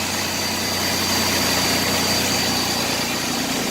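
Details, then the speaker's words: 1992 Chevrolet S10 2.8 V6 5-speed after replacing a bad, intermittently loud idler pulley bearing: even, steady idle with smooth hiss, no belt squeak or chirp; pulleys sound healthy after repair. "all right kitten make sure there's no issue in the bail pictures not long all squeaking but I think smooth good to go"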